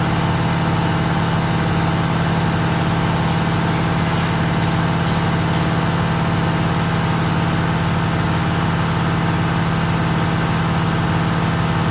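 Steady diesel idle with about six quick, faint hissing ticks from the air system once pressure is full: abnormal, cause unclear.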